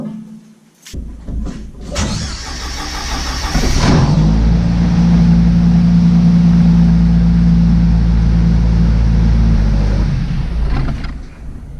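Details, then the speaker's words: 1995 Jeep Wrangler after starter replacement, battery reconnected; a few seconds of steady cranking, then it catches cleanly and settles into an even idle. Normal cranking and start. "Alright, starter's hooked up, battery's hooked up. Thing should be hooked up. Let's see if it starts."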